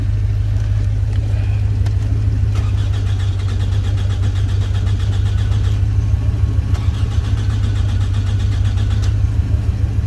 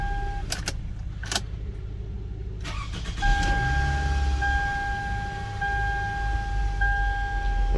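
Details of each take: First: 2005 Toyota Camry with a crank-no-start complaint: the starter cranks at an even, steady rate but it never catches. Scan data shows the immobilizer set and permit start "NG" (no go), so the immobilizer is blocking the start. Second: 2005 Toyota Camry being diagnosed for crank-no-start. With no codes and immobilizer permit start OK, after a door clunk it catches quickly at about three seconds and settles to a steady idle with a chime. Normal start.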